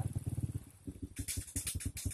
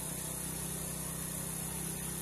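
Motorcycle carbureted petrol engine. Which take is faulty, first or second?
first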